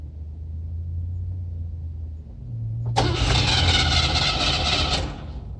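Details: Aged Cadillac nicknamed Duke, hard start: slow chugging cranking at about four beats a second for nearly three seconds before it finally fires and revs.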